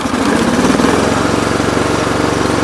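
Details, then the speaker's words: Cub Cadet 1884 engine before repair: a lumpy, uneven, hollow loping putter at low idle, with one cylinder dead from a failed ignition coil. "You can definitely hear the dead cylinder now."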